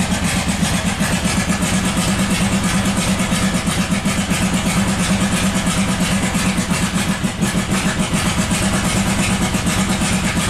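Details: 1997 Buick Century 3.1 V6 at full throttle with the oil light on: a ragged, lumpy roar with uneven chuffing at about three a second, barely running on one or two cylinders. Severe misfire.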